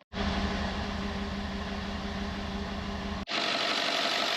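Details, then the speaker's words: 2012 Ford F-150 with the 5.0 V8 has a rough, stumbling idle, blowing smoke rings, and code P0308 for a cylinder 8 misfire. The coil connectors look poor and loose, and the coils, connectors and spark plugs are to be replaced. "we'll see what this ends up scanning one trible code oh 308 is a misfire on cylinder 8 which is the reason the truck is running so"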